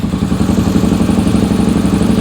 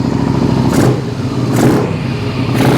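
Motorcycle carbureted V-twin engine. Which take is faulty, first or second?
first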